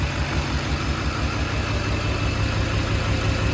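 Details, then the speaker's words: HMMWV Humvee with swapped Duramax LBZ diesel, first start after FASS lift pump install: steady even diesel clatter with smooth low thrum, no misses or knocks; no smoke, no exhaust leaks, no fuel dripping from injectors; normal idle. "just looking for leaks I don't see anything on the anything on the fuel no smoke I don't hear any exhaust leaks I don't see any fuel dripping out of the injectors"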